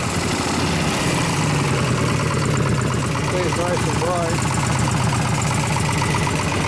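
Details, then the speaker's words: 2001 Gilroy Indian Chief V-twin being rebuilt as a race bike, idling loudly: dull, choked, loping exhaust note, like a worn-out or new stock Harley; muffler already opened up, some leaks, sounded better at first start. "A lot of noise, and it sounds like a worn out stock Harley. Or a brand new Harley. Got that same muffled, crappy noise to it."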